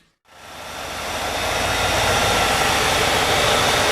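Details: 1995 Cadillac Eldorado, first start right after water pump and thermostat replacement, refilled with about 6 quarts of premix coolant, air filter off: engine fires up and settles into a steady, even hiss-and-hum idle with no knocks or misses. Healthy.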